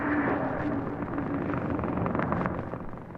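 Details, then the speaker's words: Car radio with the engine running: a rapid crackling buzz through the radio keeps pace with the engine. This is ignition interference, deliberately caused by loosening the high-tension wire at the ignition coil terminal. "You hear that? That's ignition noise. And that means there's ignition trouble somewhere. Right, Walt? Actually, all that I did was loosen the wire at the high tension terminal of the coil."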